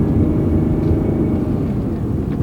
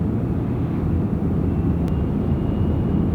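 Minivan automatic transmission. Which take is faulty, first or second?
second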